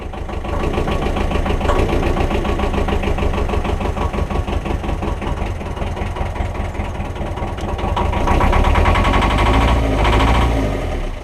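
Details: 1.5 BMC diesel boat engine, glow plugs changed for easier starting, just started after a long crank with throttle: lumpy, uneven chug with beats wandering in strength, then revs rise near the end; running rough.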